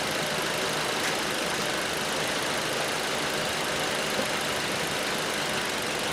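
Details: 2012 Ford Transit Connect that would not run after the customer replaced the harmonic balancer and the keyless crank lost timing; after retiming, the engine catches and settles into a steady, even idle with no knocking or misfire.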